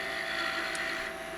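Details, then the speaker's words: Miniature goblet 19mm tall turned from Sheoak on a lathe, stem about 2.5mm thick; steady spindle hum with faint wavering high squeak as the very thin stem starts chattering from harmonics; thin workpiece vibration. "Now, did you hear that little squeak? You're going to hear it a bit more. Starting to get a little bit of harmonics because we are getting very very thin."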